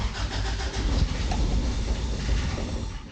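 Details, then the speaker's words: 1988 Toyota Pickup (Hilux), off the road nearly 5 years, new fuel line: engine catches with rough uneven rumble a couple of seconds, then fades out. Owner thinks it ran on residual starting fluid and fears a failed fuel pump. "Well, she still runs. Oh, please, for the love of God, don't tell me I gotta do a fuel pump. See, Tina heard you. I think it was just residual starting fluid."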